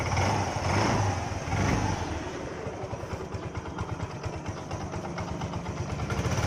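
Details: Yamaha Ray scooter after engine work: the small single blips, then settles into a steady, even putter with no rattles or knocks, running healthy.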